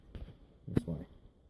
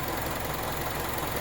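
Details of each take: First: Mazda CX-7, cold start at minus nine degrees; long laboured cranking at about three to four turns a second before catching and settling; sluggish cold start, cause not confirmed. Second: Mazda CX-7 with 2.5 L DOHC 16-valve variable valve timing non-turbo engine, about 126,000 km, original battery, cold start at -9 degrees: light, even sewing-machine purr at idle, no knocks or misses; normal cold-start idle.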